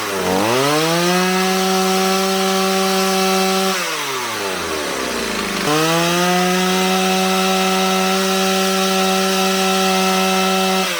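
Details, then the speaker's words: Stihl 028 AV Super chainsaw after carburetor rebuild, idle and high-speed screw tuned with tachometer toward about 12,000 rpm: steady, clean full-throttle scream, dipping briefly off the cut and recovering cleanly; running great. "That tachometer was great when I was setting the idle and the high speed screw. This thing's running great again."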